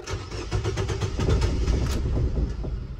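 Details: 2018 Nissan Versa 1.6L four-cylinder, crank-no-start after a paint job: cranks, stumbles into a ragged run for a moment, then dies; MAF reading normal.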